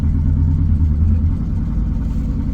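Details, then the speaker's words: BMW E39 M5, S62 V8, unrun over a year, dirty fuel, first start after priming the fuel pump: cold idle with busy fast tick over low rumble, quieting down; owner suspects lifter tick, also misfiring badly. "It's quieting down, it's quieting down, it's quieting down. I want to make sure it's lifter tick before anything,"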